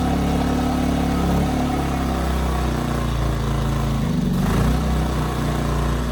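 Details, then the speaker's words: Ryobi RYI2300 inverter generator, about 15 months old, under a 400 W load with auto idle on and off: note mostly steady, then dips and swells mid-run; light-load surging, suspected carburetor, cause unconfirmed. "so that was it the 400 watt load was causing it to surge with the auto Idol on and off"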